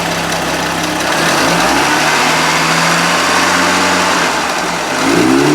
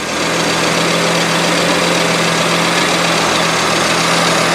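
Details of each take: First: Merkur XR4Ti, 95,000 miles, sat five years (died when hot), free-revving in neutral without load: flares fast on each rev with turbo spool rising quickly, then falls back; suspected retarded ignition timing. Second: Merkur XR4TI, 95,000 miles, sat five years after dying when hot; after distributor rotated to correct ignition timing it runs: loud, steady idle with even low hum, no stumbling or surging, holding idle cleanly.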